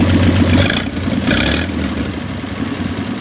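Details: 1926 Oakland revived after 75 years, restarted with its rebuilt generator hooked up: old engine catches with a quick rev, then settles into a rough but steady low idle; running.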